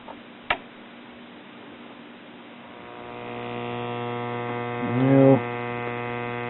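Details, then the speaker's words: 1937 Philco cathedral tube radio brought up at about half voltage shows bad filter capacitors right away: a low, steady mains hum builds as the set warms, then holds constant. "bad filter capacitors right off the bat"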